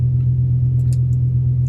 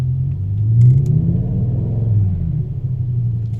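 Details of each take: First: BMW M5 V10 just after replacing both idle actuators: steady, even idle with no stumble for a couple of minutes; after a restart it ran rough with a cylinder 9 misfire. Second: BMW M5 V10 running rough on restart after idle actuator replacement: a deep, uneven idle that lurches and sags with vibration, a cylinder 9 misfire suspected from the ignition coil, which was swapped from 8 to 9 to test.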